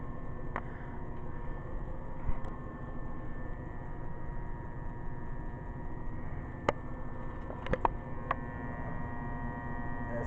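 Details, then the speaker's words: Steady, low, grainy buzz with clicks from a 12 V DC-to-AC inverter (1100–2200 W unit) on cheap dual-cycle batteries, running a heater set to 1250 W with red-hot coils; heating-element loads strain the inverter. "I'm gonna turn that off you can hear the buzz now it's not a good idea to really run anything with heating elements off your murders it can be done"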